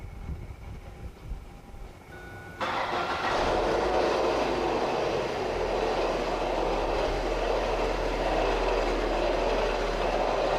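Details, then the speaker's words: 2004 Ford Focus at startup: loud, rough grinding with fast, uneven clunking from a failed AC compressor clutch pulley bearing, which could throw the belt; compressor assembly and dryer to be replaced. "quick if you can hear that noise terrible grinding clunking sound this is sound of the AC compressor clutch pulley gone bad"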